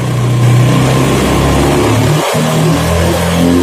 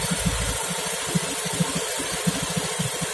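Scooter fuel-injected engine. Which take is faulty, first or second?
first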